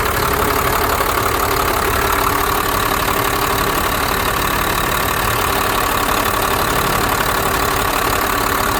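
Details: 1991 Blue Bird bus with a 5.9 2-valve diesel, after replacing both fuel lines and bleeding air from the lift pump and injectors: even idle clatter of about four beats a second, no misses or knocks. Normal idle.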